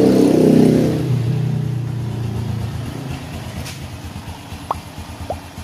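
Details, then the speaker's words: Honda Blade 110 after engine rebuild (new block, oil pump gear, cam chain, valve seals, roller): engine catches, rev drops to steady idle, even beat about four a second, no clatter; engine noise back to normal. "oke teman-teman di sini untuk pada mesin motornya sudah dalam keadaan hidup untuk bunyi pada mesinnya itu sudah normal lagi"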